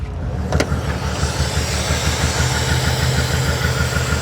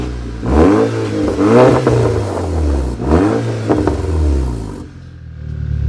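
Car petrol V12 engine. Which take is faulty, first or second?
first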